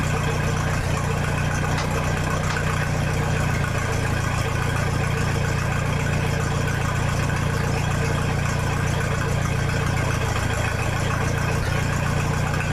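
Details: 1966 U302 after corrected rebuild issues, out under its own power: deep, steady, even idle with loud open exhaust, no knocks or misses; normal healthy idle.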